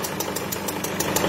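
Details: Peugeot 207 SW 1.6 HDi (PSA) at idle: sharp regular puffing tick about six per second, combustion pressure leaking past a failed copper injector seal washer at the cylinder head.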